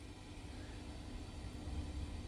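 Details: Philips Bi-Ampli B5X23A tube radio powered up on a variac after cleaning tube pins; steady low hum that never changes, on one channel; cause still unknown.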